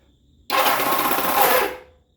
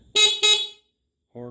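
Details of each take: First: Kawasaki KZ650 cafe racer, newly rewired, pressing the start button: about a second of harsh, rapid metallic clatter. Not the starter motor itself but the parts it engages with, likely a roller and pin; clutch housing must come off. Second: Kawasaki KZ650 cafe racer build after the electrics were rewired: two short, loud horn blasts with a clear steady tone; the horn sounds strong and works normally.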